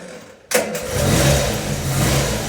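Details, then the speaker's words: Engine restarted warm shortly after a cold start; short crank, catches at once and settles into a steady, even idle; clean warm start. "so we'll put the hood down and start it up and then we'll move it out"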